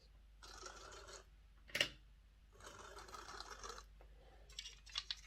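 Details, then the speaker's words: Lima Class J50 model locomotive after fitting a CD motor conversion kit: harsh, scratchy rasping in bursts while the motor runs, as the motor seems to sit too far in and the pinion gear rubs the bearing. "okay so i kind of thought this wasn't backing off enough um you know i think the motor was going too far in and the pinion gear has been hitting the the bearing here"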